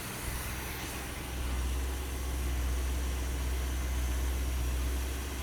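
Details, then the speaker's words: Never-sold 1974 Cuda, about 64 original miles, all original, first running since the 1970s; a smooth, even idle rumble with no misses or knocks; a small drip from somewhere is noted. "We're talking about a car that's never been driven except 64 miles. 64 miles. And listen to it. Holy cow, listen to that. That's insanity. It's a brand new effing car."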